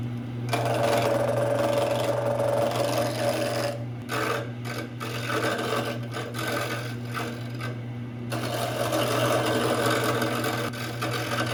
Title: 1952 Craftsman Lathe - First start-up and test